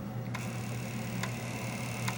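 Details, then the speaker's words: Commodore 1541 disk drive stepper motor driven from a 1541 diagnostic cartridge (F1/F3 step back and forth): three crisp clicks about a second apart over a faint hum; head stepping normally on this drive, unlike the faulty drive, which reseating P7 seems to have fixed. "F 3 is stepping it forward so I have complete control of the stepper motor with this program here I'm just hitting F 3 and F 1 to move it backwards and forward"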